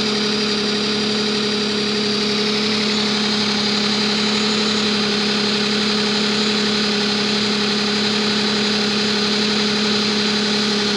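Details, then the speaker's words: Nissan Maxima 3.5 before a motor flush and synthetic oil change: steady idle with a loud fast light tapping, about four taps a second, worse on first start; owner suspects lifter noise, front or rear bank unknown. "I'll start it up there good thirty seconds or so let you guys hear then lift your noise it's pretty loud I can't really tell if it's coming from the front of the back so we'll see what happens"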